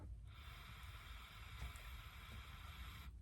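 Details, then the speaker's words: Sachs-Dolmar 100 chainsaw that won't idle down even after a carb rebuild, pressurized with an air compressor nozzle: steady airy hiss of air escaping at the gasket by the intake area. "I hear a lot of air coming out and that's not coming from where this nozzle tip is I think I think it's right here"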